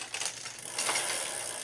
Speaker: you can hear this making noise but the reason I'm ok with this is because the chain is crossed